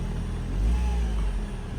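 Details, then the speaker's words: 2013 Ford C-Max hybrid, 125,000 miles, after HF35 transmission replacement for stator bearing whine: low steady drivetrain hum, no whine or bearing noise, no warning lights. "I got it turned on right now, so let's go ahead and start it up so you can hear what the new transmission sounds like. You can't even hear it."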